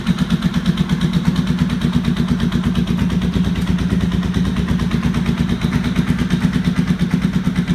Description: There was a loud knocking sound coming from the bike when running which seemed out of place. Some knocking is normal, but this was too loud. Come to find out two header bolts were missing from the front cylinder head and a pieces of the actual casing had sheared away.